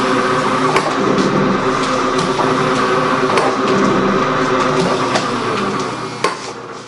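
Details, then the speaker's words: Gould & Eberhardt 24-inch heavy duty shaper (1912 patent date; owner guesses 1912–1930), newly acquired, on a test run with the tool lifter on; very quiet, most noise is from the belt. Steady belt hum with regular tool-lifter clicks each stroke, no knocking or grinding: normal running. "Alright, so now we're going to start it up. Machine runs really quiet. Most noise comes from the belt."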